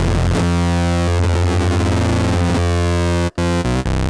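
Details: 2016 Minimoog Reissue synthesizer with all three oscillators on: buzzy low drone broken by crackles, clicks and brief cutouts when changing octaves, worst on oscillator three; noisy octave rotary switches.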